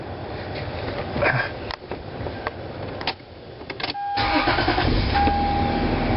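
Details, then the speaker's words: Lexus after installing a new air mix (hot/cold) blend door servo motor: engine starts and idles, with brief soft motor whirs as the temperature is changed and no clicking from the dash. Old noise gone, normal servo operation. "I know the noise is gone so we'll see how she uh how she goes"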